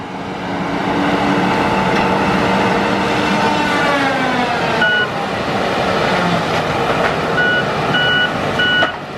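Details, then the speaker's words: John Deere forestry machine with tracks on its front tires, engine running wide open: a whir rises steadily in pitch as the reversible cooling fan spools through its reverse cycle, with truck beeps later. This is normal fan operation. "Those tracks are helping him a lot. Hear that fan reverse?"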